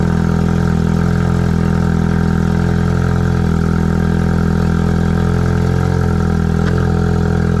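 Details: Ford Focus RS/ST, just started after installing a Radium high-flow fuel filter, no leaks: fires and settles into a steady, even idle with a smooth low rumble, no misses, knocks or stumbles; healthy normal idle.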